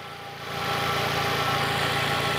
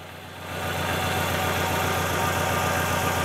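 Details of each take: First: Fiat Palio at idle after fitting a new ignition coil, oscilloscope confirming spark on all four cylinders including previously dead cylinder 3: steady, even idle hum with no stumbles; normal idle. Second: Fiat Palio at idle, fault first seen when cold, no check-engine light. Lumpy, uneven beat with a missing pulse each cycle: one dead cylinder.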